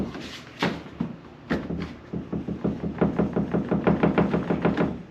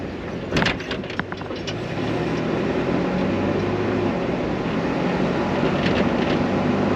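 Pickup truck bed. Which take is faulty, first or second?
first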